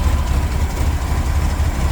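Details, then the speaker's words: 1979 VW Super Beetle, fuel injection converted to EMPI carburetor, original air cleaner refitted: cold engine on choke, deep steady low thrum with even pulse, no misses or rattles; idling cleanly, should smooth out once warm. "the joke is running right now as soon as the engine warms up it'll back off and it'll run a little smoother"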